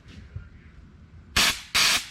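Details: C6 Corvette nitrous system, bottle opened for testing: two sharp loud hissing bursts of about a quarter second each over near silence; nitrous purge spraying freely and working properly.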